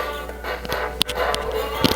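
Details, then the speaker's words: 1951 Zenith Cobramatic playing a warped 45 with the turntable on manual: music breaks up with irregular clicks and skips. The turntable brake was still on; freeing it stops the skipping. "Aside from the fact that it's skipping. Now let's see if we can tune it in a bit. Oh. Okay. It didn't sound too bad, except the skipping. So why is that? Oh, it's because the brake is still on."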